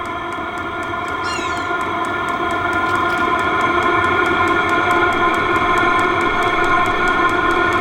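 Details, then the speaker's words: Vevor diesel heater turned from its lowest setting to max: crisp fuel-pump ticks about three or four a second over a steady, climbing fan whir like a turbine spooling up. Normal diesel heater at full power. "I'm going to go all the way to Max you can hear the fuel pump start to tick"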